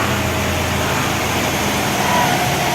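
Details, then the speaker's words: 300,000-mile 4L80E 4x4 automatic after full overhaul (valve body bored, light shift kit, new solenoids, clutches) on dyno, in overdrive around 3,500 rpm after hard upshifts: steady even drivetrain hum, no slipping flare or clunks; normal. "Alright, we'll do a hard 1, 2, 3, 4. It was 4,000 RPM and then up to 3,500 in overdrive."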